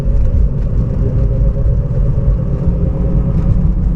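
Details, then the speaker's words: 2011 Toyota Prius at 40–50 mph: steady droning rumble whose pitch and loudness rise with speed, louder when steering left, steady when steering right; from a worn wheel bearing. "sometimes you go low speed you can hear the noise but it's not clear enough but when you go higher the pitch is higher and higher"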